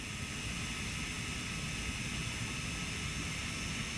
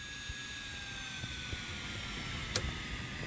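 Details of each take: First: Polygon mirror DC motor from HP laser printer, M63151FP controller, 24 volts, speed set by function generator duty cycle: steady high whine over even hiss, no wobble or rattle; normal running at the generator's maximum speed. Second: HP laser printer polygon mirror motor with M63151FP controller, started at about 13.6 V drawing 167 mA: thin high whine sagging in pitch as supply voltage is lowered; current falls to about 5 mA and the mirror stops.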